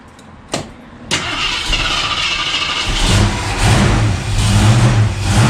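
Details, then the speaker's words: 1973 AMC Javelin after U-joints, transmission linkage, cooler lines and new radiator, gas poured down the carburetor on third try: two short cranking bursts, then catches and revs smoothly, no scraping. Normal start. "No noises. Yeah, it's picking up fuel."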